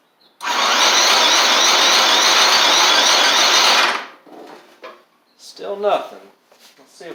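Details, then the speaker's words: Murray 24-inch riding mower with a Briggs engine, water in the fuel and rust in the engine, spark plug just reinstalled: about three seconds of steady whirring crank, then it stops with no firing. Owner thinks it's flooded and rust must flush out; cranks but no start. "it acts like it wants to but it won't will not go it acts like it wants to try I think there's just a lot of rust in the system and it's got to flush itself out"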